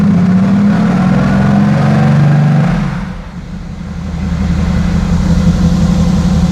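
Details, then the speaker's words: Mercedes-AMG GT S, first start-up after installing production VRP stainless turbo manifolds, before dyno: deep, strong exhaust drone dipping as revs drop then pulling back up smoothly, no misfire; deeper roar; normal running. "Has like a It's like a deeper roar to it."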